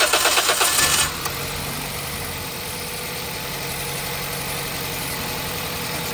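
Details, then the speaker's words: 2006 Toyota Corolla, rough idle and vibration on acceleration, during coil-swap test between cylinders one and two: engine catches after brief crank and settles into an uneven, stumbling, loping idle; misfire, ignition coil suspected. "walang reaction yung makina hindi nag-vibrate confirm natin na ignition tool yung problema niya"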